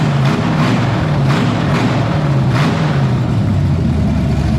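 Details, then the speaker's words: 1978 Pontiac Firebird with a small-block V8 swapped in after the big block's cam went flat, first run, coolant at 190 and tach not working: a deep burble with an even, slightly lumpy beat and no knocks or misses. Healthy warm idle. "I got some heat in the hoses. We're sitting 190. I'm gonna let this thing cool back off, let it burp and burble and do whatever it wants. It sounds pretty good. I'm happy with this."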